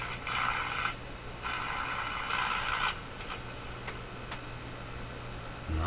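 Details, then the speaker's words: Mohawk Model 1240 five-tube radio at first power-up checkout, very poor performance: at full volume only faint garbled station sound under steady low hum and crackly interference, even with antenna boosted; far too quiet, cause not yet found. "how come it got so quiet that's full volume hello hello what's happening down here what if I boost the antenna oh she's pretty quiet"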